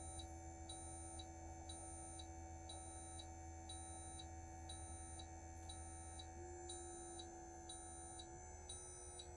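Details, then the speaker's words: 2024 Newmar Bay Star 3014 motorhome leveling pump retracting all four jacks, ignition on and parking brake set: steady low pump hum with a sharp high beep about twice a second; normal retraction. "so once I do that retract all you can hear the pump come back on and now the all of the four jacks are retra"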